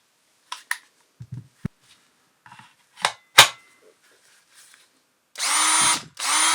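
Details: Makita DDF482 cordless drill after replacing intermittent trigger switch module (6507545, replaced by 6507537); brushes and motor had been fine: two trigger pulls, clean whir spinning up and stopping, no stutter or grinding; working again.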